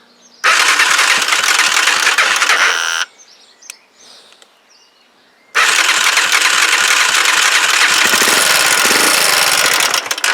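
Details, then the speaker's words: Huoniao HN125 single-cylinder, first start after engine installation, run off a jump pack: fast, tinny clatter stays constant over a busy idle. Valve tappet rattle; the owner thought the tappets were done, but they still need adjusting. "she sounds a bit rattly I think then I thought I'd done them tappets but thank you well obviously tappets need doing"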